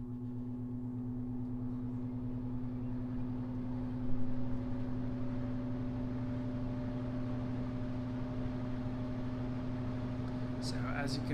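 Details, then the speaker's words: 2 ton heat pump evaporator blower after a Fan Handler HP-240 install, on thermostat restart: steady low hum with a soft rising tone, easing slowly to a low speed believed to be about 30% factory default; smooth, normal startup. "hear hopefully the motor now has a really slow and smooth ramp up to its low speed which i believe is about 30 uh default from the factory"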